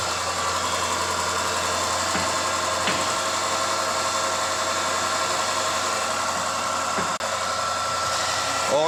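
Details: Range Rover L405 naturally aspirated petrol engine at idle after new belt and engine mounting replacement fixed a humming noise: steady, even idle with no hum or drone.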